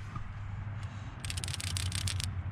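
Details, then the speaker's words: 2003 Ford F-150 4.6L V8 PCV valve, removed from the valve cover and shaken, previously replaced at 100,000 miles: about a second of quick, crisp clicks; check ball moves freely, valve still works, being replaced with Motorcraft EV-258. "sounds like this one still works fine there it is i've changed it once before at 100 000."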